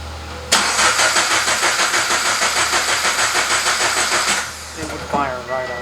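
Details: Subaru BRZ FA20 build (1200cc injectors, 4 bar MAP sensor) just flashed with a modified 3-bar tune: starter whirrs about four seconds, catches briefly, then dies at once; owner suspects a bad sensor.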